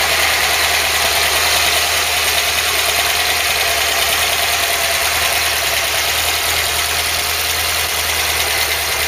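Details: Ford Cortina Mk3 newly rebuilt 2.0 Pinto engine, Weber carb, first run with valve clearances on a first setting: light fast steady ticking about three per second over busy idle; tappets tapping, clearances will probably be redone.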